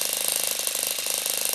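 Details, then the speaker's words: Saito FA-40 four-stroke glow plug model engine running: fast even high crackling buzz from the exhaust, no misses; sound comes from hot gas not fully expanded, normal running. "There is an audible sound coming out of the exhaust manifold caused by the hot gas which is not completely expanded during the"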